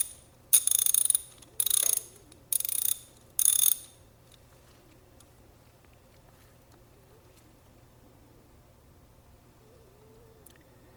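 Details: Older socket ratchet with little grease, before cleaning and regreasing: four sharp bursts of rapid, loud metallic clicking as it is spun; dry, dirty pawl mechanism suspected.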